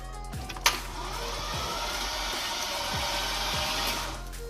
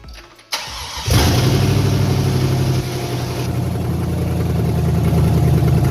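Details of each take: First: Silverado 5.3 V8 after bent-rod engine repair, first crank with no spark plugs and fuel pump relay removed: starter turns the engine over slowly and unevenly; battery sluggish, but the engine rotates. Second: Chevrolet Silverado 5.3 V8 on first start after a bent-rod repair with an aftermarket Summit/BTR cam: it catches after a brief crank into a strong, slightly lopey rumble; healthy running.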